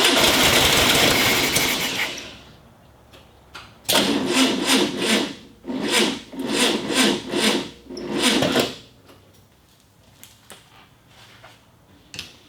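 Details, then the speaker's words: 1965 VW Beetle, first start attempt in years on a cool September morning: uneven bursts of sluggish slow cranking that never catch; owner blames a weak battery. "Ah, come on. The battery's not having it."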